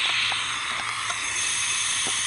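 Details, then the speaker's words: Brand-new, unused MTD mower with Briggs & Stratton engine, no compression, leak-down tester in spark plug hole while turning engine over: steady rushing hiss out the carburetor, meaning the intake valve is not closing. "so we have an abundance of air coming through the carburetor so when I'm turning this engine over that's telling me that the intake valve is not closing"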